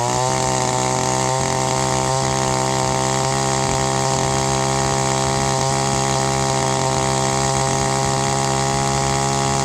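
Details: Echo SRM-225 string trimmer, two-stroke, barrel-style carburetor: at high rpm it breaks into an uneven, burbling four-stroke beat because the high-speed mixture is too rich. Turning in the high screw leans it out to a smooth two-stroke tone.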